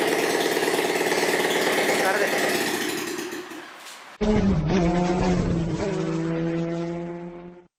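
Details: Bajaj Platina motorcycle running without silencer, recorded while fixing an engine issue: loud raw exhaust bark that fades, then restarts with an uneven pulsing beat; strange engine noise.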